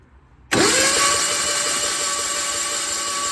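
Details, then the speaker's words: Onan engine in an old Gehl skid loader, cranked by a loud starter with fan shroud removed: fast, even whir with no compression pulses; no compression later traced to a stuck-open valve. "so pull the head off and since it's had no compression and we found a valve that's stuck open now it's closing so we're gonna work that back and forth"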